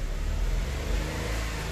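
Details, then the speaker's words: Maruti WagonR K-series petrol engine after fixing code P0108 (MAP/barometric circuit high) by fully pressing in a loose sensor connector and clearing the code; check light off, earlier slight misfire gone: pulls up smoothly with a steady low drone, no skips; normal revving. "Check light भी चली गई और हमारी गाड़ी पहले missing करती थी हल्का और मिसिंग भी अब नहीं है इसके अंदर"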